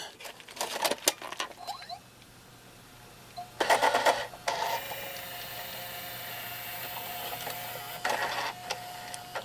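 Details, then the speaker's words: JVC VHS-C camcorder after refitting the take-up belt that had slipped off its pulley and caused it to eat tapes; clicks as tape loads, then steady motor whir with some gear noise, recording without errors: normal tape transport operation. "You can hear there's more going on in there now that that belt is on there. So let me start recording in a second. And here we go. Getting some noise from those gears, but it's recording and it's not giving me any errors."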